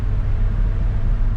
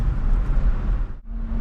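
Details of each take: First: Gen 1 Toyota Tundra driven at speed: deep steady hum from the front end under the road rumble. Seller thought it was the brakes; owner says not brakes and suspects a CV joint. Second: First-generation Toyota Tundra on the road: strong pull under throttle, firm clean gear changes, engine runs great and shifts hard; a separate hum at speed is suspected to be a CV joint, not brakes.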